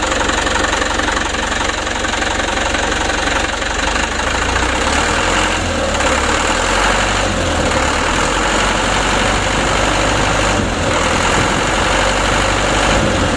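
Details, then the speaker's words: Mitsubishi Canter HD 125 diesel truck (possibly 2025) after Bosch injection pump service and adjustment; even clatter with steady low thump, no hunting or misfire as revs settle, smooth from low to high throttle; normal idle. "dari mulai awal Gas sampai tinggi ini anteng sudah terhitung selesai teman-teman"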